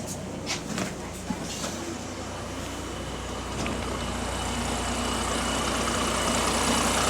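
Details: Diesel bus GAL WVL464 idling with a quick, fairly even puffing tick over the engine note, growing louder toward the end; exhaust leak.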